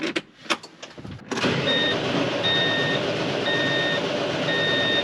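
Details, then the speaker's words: Tractor 830 after a full service with 10W40 oil and a new fuel filter and pre-filter: uneven cranking, then the diesel catches and runs steady with a repeating beep. Hard start from air in the fuel; priming took 10–15 minutes of pumping. "Allez, s'il te plaît. Yes. À amorcer les filtres à fioul, c'est un enfer. J'y ai passé au moins 10 minutes, un quart d'heure à pomper."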